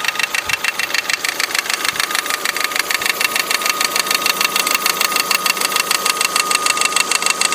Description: Die Spannrolle vibriert sichtlich und schlägt gegen den Motorblock. Daher das Klappern.